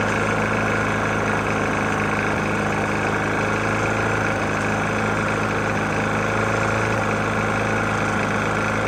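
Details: Murray mower with Briggs & Stratton E450 engine, oil found nearly empty and topped off: steady small-engine idle with a hard, rapid internal knock running through it, cause unknown.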